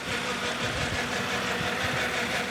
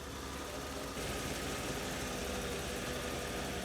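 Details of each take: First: BMW E31 850i V12, just restarted after ten years of neglect, idling with a fast light chattering rattle over a smooth idle, from the timing chain tensioner. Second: BMW E31 850i V12, revived after ten years stored, idling smooth and steady after the timing chain tensioner was reinstalled; no tapping builds up past 20–30 seconds, the chain noise is fixed.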